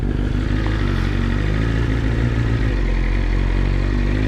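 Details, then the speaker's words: BMW S1000RR, warmed up, riding after an oil plug came out and sprayed oil: crisp, even four-cylinder pull with a steady exhaust note, no knocks, rattles, extra noises or error codes; the engine sounds healthy. "everything sounds good in the motor no extra noises no error codes no messages"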